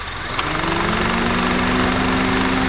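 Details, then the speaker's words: Idling Honda with AC switched on: click, then low steady whir from worn AC compressor bearings; still blowing cold; planned fix starts by evacuating the refrigerant. "now it does take a trained ear but i can hear the bearings whirring those are the bearings of the ac compressor it is wearing"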